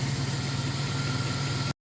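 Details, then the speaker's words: 1994 Chrysler Town & Country AWD idling in neutral during a transmission service, fluid found low: steady, even low idle with no misses, knocks or ticks; engine running smoothly. "Burn like a kitten. It runs so smooth. That's nice. Smooth as can be."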